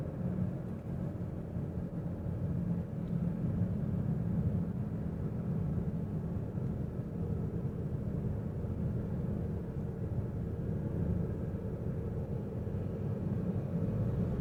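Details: 2016 Toyota Avensis III 1.8 cruising: a steady low drone holds under the road noise; owner suspects the CVT, source not confirmed.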